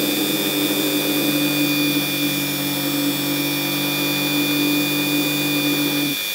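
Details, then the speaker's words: Ryobi rotary engraver (гравер) laid on its carry case to show drive vibration: steady high buzz with low hum rattling through the case until switch-off near six seconds; noticeable drive vibration. "вот я сейчас положу на чемодан и будет слышно как вибрирует мы так сказать привод"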